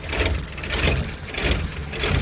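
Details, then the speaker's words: Chevrolet Labo LPGi LPG engine, short city delivery runs, no fault codes, idling cold after long parking: rough uneven rpm, surging about every two-thirds second; exhaust valve clearance too tight. "또 하나는 뭐 이 차가 냉간 심야 침 초기 시에 엔진 쪽에서 적대 등 부서 적자도 엔진이 떨어요 어떤 단 얘기는 뭐냐면 엔진 의 조시가 및 엔진의 rpm 이 부드럽지 않고 정상적이지 않다는 얘기 거든요"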